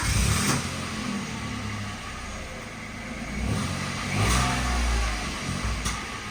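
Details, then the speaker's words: Peugeot 107, started after locksmith work on the ignition barrel: catches into a steady idle, then revs rise and fall cleanly with no knocks or misses; normal start and rev. "so there we go the car is [Applause] running ticking over lovely actually don't hear no problems no issues"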